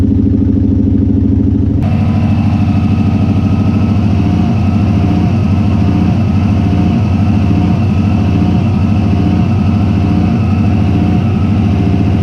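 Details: Turbo Subaru that began idling funny and misfiring after work; a hole was found in a boost controller hose touching the turbo. Idle starts then stumbles with uneven, lumpy pulses about once a second. Cause: failed idle air control valve.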